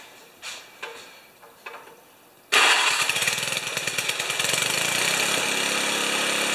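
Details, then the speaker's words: 1973 Tecumseh snow blower engine after carburetor refit, full choke, mid throttle: fires after a few weak turns, runs with a raspy hissing suck over an uneven patter; no fuel leakage, source unknown. "it is making a horrible streching sound now I don't know what that is might have to investigate that"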